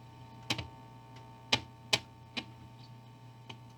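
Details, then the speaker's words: 1955 Magnatone 108 Varsity Deluxe tube amp, powered, volume up: steady low hum with sharp irregular crackles when parts are touched, loudest at one part — faulty preamp tube and ungrounded filter capacitor. "uh so crackling when I touch any of these big crackle with this one"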